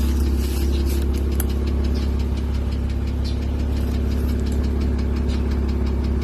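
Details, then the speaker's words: 2005 Porsche 987 Boxster S with suspected serious engine issues (IMS bearing work possible) at idle: light, fast ticking, about three per second, over a smooth low hum; owner never heard it while driving a couple hundred miles, cause undetermined. "So as you can hear, there's an audible tick sound."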